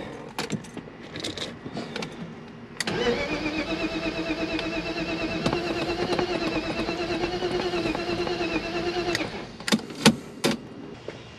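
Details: BMW E36 325i crank-no-start after a different coil boot and starting fluid sprayed into the cylinder; ECU and crank sensor believed good, spark present, plug smells of fuel, owner suspects fuel pressure: starter cranks steadily about six seconds, never catches.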